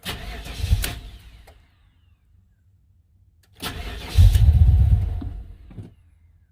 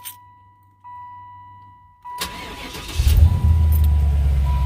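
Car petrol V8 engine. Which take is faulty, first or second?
first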